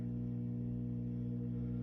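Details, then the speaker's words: 5E3 tweed Deluxe amp kit build, nothing plugged in: steady low hum with a stack of even tones from about 60 Hz up, unchanged with controls up or down; first filter cap replaced with 30 µF helped slightly, cause otherwise unknown. "hopefully you can hear this but it's a very low hum coming out of the speaker nothing's plugged in"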